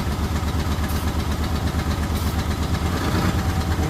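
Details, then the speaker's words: Rough, pulsing petrol idle that smooths out and evens as brake cleaner is sprayed around the intake area, with brief spray hisses; the idle change indicates a vacuum leak in the intake, checked without a scanner. "you hear that changing. So you can feel see how that smooths out. That tells us that we have a vacuum there."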